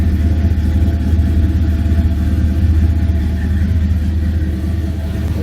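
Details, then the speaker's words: 1978 Ford Courier with a 351 V8, warming up toward normal temperature: a loud, choppy, loping idle over a deep exhaust rumble, with the engine shaking noticeably. The engine is known to run hot. "crazy and Ill mannered as it is though it sure sounds nice so she's warming up and just like that almost warmed up starting idle as you can see she shakes a little it's a rumpity little thing"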